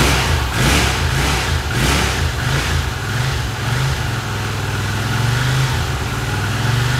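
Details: 1982 Honda CX500 twin, neglected for years, carbs cleaned and bench-synced with a welding rod: idle rises and sags unevenly over several seconds, won't settle and threatens to stall; carb idle problem suspected, cause unknown.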